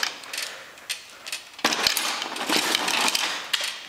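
Sharp, scattered clicks as the wheels roll back against the pawls, with no grinding; the wheel ratchets engage properly.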